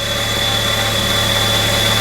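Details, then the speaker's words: Flood-damaged 1998 Mitsubishi Eclipse Spyder GS 2.4 L, no water in the cylinders, idling just after its first start, started easily; check engine light on, no smoke; smooth even idle with no misses or hunting; normal idle. "It actually runs great. It started up like that. I just,"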